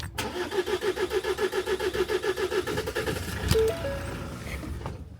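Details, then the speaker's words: 2018 Ford Transit 2.0 EcoBlue diesel, in for cold hard start and rough running: after priming the fuel filter housing, cranking at an even pace catches briefly then fades and dies; bubbles show air in the fuel system needing purging. "so now it starts but dies confused panic panic panic it was just Panic obviously there's a there's some air in the system at the moment so obviously that needed to be purged"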